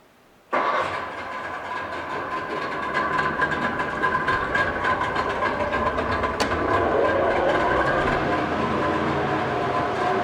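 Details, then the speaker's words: 2007 Mercury 90hp 20-inch remote outboard, freshwater, 130 PSI on all three cylinders, carburetors rebuilt, new plugs and impeller, on winter fuel mix with extra smoke: catches and settles into a steady, even, clean idle with fan noise behind. "Spraying good water. Go ahead and give it a second here. We are running a winter mix, so it's going to smoke a little bit more."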